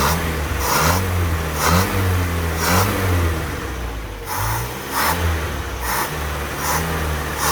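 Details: Land Rover Series 2a first start after engine rebuild, temperature coming up: clean repeated throttle blips, revs rising and falling smoothly back to steady idle with no knocks; healthy.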